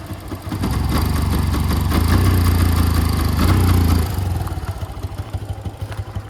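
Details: 2011 Yamaha FZ-16 cold start after about 7 months unused, fitted with a 150 carburettor due to misfiring; catches and revs briefly, then choppy idle about four thumps a second; rough idle after long storage.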